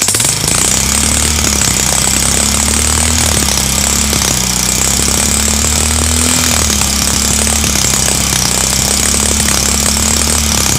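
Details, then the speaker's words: Honda CB Shine engine running with a loud, fast metallic clatter without letup; oil not reaching the rocker/top end through the head oil hole, so the top end rattles from oil starvation and rockers risk damage. "तो यही में करण है दोस्तों की हमारा engine जो sound कर रहा है और इस तरह से चलेगा तो हमारा रोकड़ वगैरा जो है ये सब सर डैमेज हो जाएगा"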